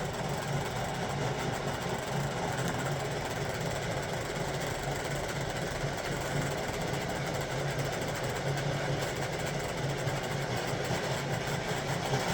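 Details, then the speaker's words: 1958 (owner thinks) Lionel 2383 Santa Fe F3AA locomotive running in reverse with the E-unit off, transformer unhappy: uneven, pulsing, laboring motor hum. Forward runs fine and the motors turn freely, so the fault seems electrical; cause unconfirmed. "Well, at least I know it's not the fact that the motors are difficult to turn. It's just something about it just doesn't like going that way electrically."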